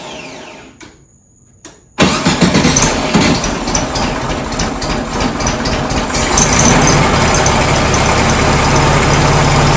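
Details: 1967 VW Karmann Ghia flat-four, sat since 1975, first start after fitting a new starter and cables: brief crank, catches cleanly at two seconds and settles into a steady, even idle; starter engages fine, normal cranking and start.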